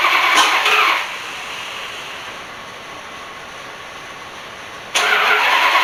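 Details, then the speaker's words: Rat rod after cam install, oil pump primed, cranking: two short bursts of harsh cranking that never settle into a steady run; fails to start, plug wires confirmed correct, ignition timing not yet set right. "Okay, my spark plug wires were not wrong, so that's not the problem. I just don't have it set quite right yet."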